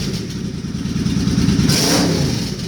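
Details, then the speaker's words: Suzuki Boulevard C50 V-twin after a new fuel injector and a Cobra FI2000 fuel controller were installed: it blips up and settles smoothly with an even, clean firing beat and no misses; it runs fine, with the controller's green light on at idle. "it sounds to me like it's running fine oh there's yeah the green lights on"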